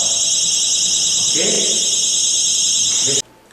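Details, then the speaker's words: Anti-theft security tag armed on a display notebook: pulling the tag off triggers a piercing, continuous high-pitched tamper alarm for about three seconds, then it cuts off abruptly. "Se ela arrancar essa etiqueta daqui, eu vou chegar na loja, vou tentar roubar, eu vou arrancar ela. Ela vai disparar uma alarme,"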